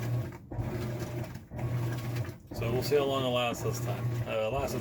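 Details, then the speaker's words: Maytag Bravos high-efficiency top-load washer on Normal wash, after the hub was repaired with JB Weld: a steady low motor hum with short regular pauses about once a second as the agitator reverses. Normal agitation. "when it agitates they actually go opposite directions and if you've never seen one of these run it's kind of neat having a glass top"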